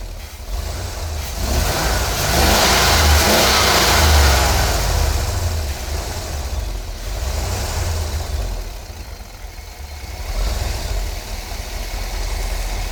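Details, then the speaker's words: Petrol engine misfire: revs and settles with an uneven, stumbling beat. The owner blames a faulty ignition coil. "What I want y'all to see, this is the cause of my misfire. This is the coil on my vehicle."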